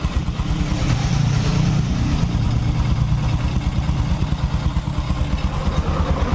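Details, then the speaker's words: Honda Supra X 125 single-cylinder after engine rebuild, idling right after a hard full-throttle test ride; steady even low thump, no knocks, ticks or hunting; still smooth, normal idle. "tuh ini kondisi mesinnya habis kita berserat berserat pun masih tetap halus ya toh kita teman-teman dengarkan"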